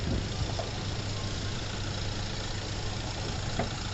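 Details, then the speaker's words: 2009 Hyundai i20 diesel after full engine overhaul, timing set and diesel filter changed, following a knocking engine noise and late starting: steady, even idle with a low smooth rumble and no knock; healthy normal idle. "तो दोस्तों गाड़ी जो है की final हमारे complete हो चुकी है और गाड़ी की ट्रायल भी मैंने ले ली है और ट्राई लेकर के ही अब मैं आया हूं दोस्तों और अब मैं आपको इसका साउंड सुनाऊंगा इसका साउंड ठीक हुआ"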